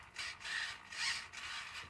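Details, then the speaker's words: Homebuilt 6-degree-of-freedom robotic arm on a new LiPo-fed power distribution board, first power-up: bursts of strained high buzzing and creaking, about two a second, as servos try to lift the arm. Servos straining under load, cause unclear. "Oh, that is bad. That sounds very bad."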